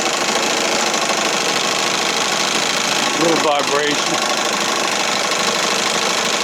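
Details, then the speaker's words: 1968 Evinrude Fisherman 6 hp outboard after throttle linkage repair and mixture set to the sweet spot, running with the hood on. Even, steady buzz with no knocks or misses, just a little vibration; sounds great. "See what it sounds like with the hood on. Sounds great."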